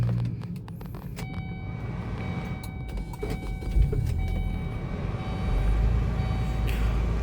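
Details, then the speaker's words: 2005 Kia Sportage, dry engine with no leaks, starting before a test drive: quick, smooth crank and clean catch, starter soft and responsive, then a steady low hum with no grinding; healthy start. "Starternya oke ya, masih lembut ya, masih halus ya. Dia responsif ya."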